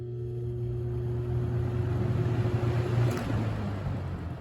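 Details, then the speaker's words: New 2021-22 Lasko box fan, switched on at medium speed: it spins up with a steady low-frequency hum, a faint higher tone and rising air rush; a mild startup hum, not too distinct; owner also hears a rubbing sound he expects to wear in. "there's a startup sound there there's kind of a kind of a low frequency hum there but it's not too distinct low"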